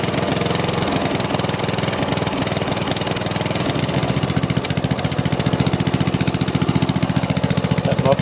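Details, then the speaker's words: Snapper rear-engine rider, rebuilt 12 hp Briggs & Stratton with new metal ring gear: rapid, uneven chuffing about three beats a second with occasional misses as the oil-filled muffler burns off; owner suspects incorrect magneto causes the miss. "is just full of oil i'll let it run for a little while and see if it'll burn all that stuff off still burning a little bit and it does miss every every now and then"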